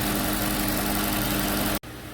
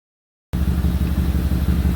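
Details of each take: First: 2008 Audi Q7 4.2 V8 with a history of misfires, idling after injector replacement and intake valve cleaning: a smooth, even idle with a steady low hum and no misses. Fuel pressure is about 25 bar; the engine is shut off afterward for a leak-down check. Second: 2008 Audi Q7 4.2 V8 idling with a rapid, even low puffing: an exhaust leak at the left catalytic converter from a failed expansion joint; the engine also has a history of startup misfires.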